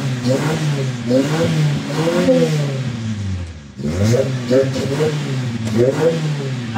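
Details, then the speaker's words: 1994 Toyota Corolla small body with a hard-start complaint, just after fuel pump replacement: revs blip up and down and sag near the middle, then catch and keep running as the new pump fills the line, settling to stable RPM. "yan so umandar na siya So pagka naging stable na Papatayin natin titingan natin kung magwa-one click na siya an guys so nag stable na yung RPM niya"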